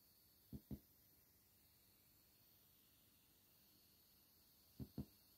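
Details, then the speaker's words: Anko 24W Bluetooth soundbar gives soft paired heartbeat-like thumps over hiss, continuing on the auxiliary input; it stopped when disconnected from the TV, so the TV box or TV is suspected as the source. "there is a strange noise coming from the speaker. As if it's like a heart beating very slow."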